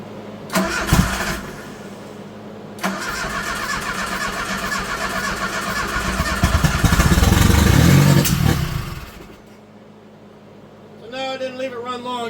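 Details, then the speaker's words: 1985 Dodge Daytona Turbo, rocker arm and valve cover just refitted, started on carburetor cleaner sprayed into the throttle body: cranks, catches, sputters unevenly for seconds then dies; still spitting back through the throttle body, though sounds decent. "Some reason it's still wanting to spit through the throttle body, but it actually sounds really well for what it is."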